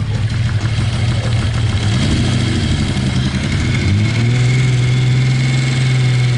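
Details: Kawasaki Z1300 six-cylinder motorcycle idling then revving: light, quick ticking riding over the exhaust note; source not yet pinned down.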